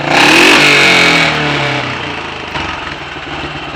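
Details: Royal Enfield 500 ASBO 36 single after top-end rebuild, ignition timing backed off slightly and carburetor throttle stop and mixture screws adjusted, warm: sharp blip climbs then falls back cleanly to steady tickover, no misses or knocks; healthy.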